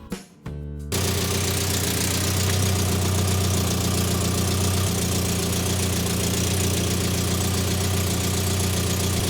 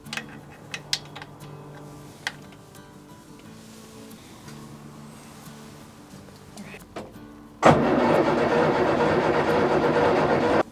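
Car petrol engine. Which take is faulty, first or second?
second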